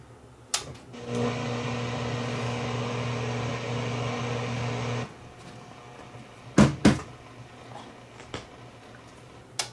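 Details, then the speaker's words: Vintage Pioneer SX-434 receiver, long unused: steady low buzz with stacked hum tones through speakers A at minimum volume, balance centered, bass and treble flat, for about four seconds then cuts out; amplifier noise fault. "this thing was making noise the volume is turned to minimum balance in the middle base and treble set to to flat"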